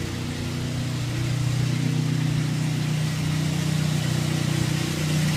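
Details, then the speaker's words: 2003 Saab 9-3 SE, about 100,000 miles, 200 miles after an oil change with engine flush: heavy, loud low drone at idle with a slightly uneven beat, less loud when revved; owner ruled out the muffler, source unknown. "That's the noise it's making. Now, when I rev it, see, it's not as loud. But it's still loud though."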